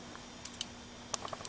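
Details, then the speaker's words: Go-kart engine with points and condenser ignition, just sanded and closed for good contact: sharp, dry irregular snaps in a quiet room as the spark plug jumps; ignition sparking normally. "You hear them too. You can hear the spark plug jumping."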